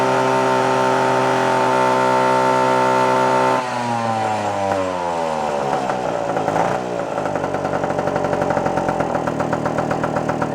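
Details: Puch two-stroke moped after carburetor work, no longer bogging: steady high drone that drops and climbs back with a rattly burble, never screaming out at the top; seems a little too rich, needle clip may need lowering; not revving out fully.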